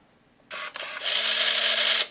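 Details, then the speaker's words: Untested used film camera with 38mm f3.5 lens and flash on, taking a picture: sharp shutter click then high whirring film-advance motor for about a second; a little noisy but normal shutter and film advance, decent working condition. "Yep. So it does take. A little bit noisy, but appears to be in decent working condition."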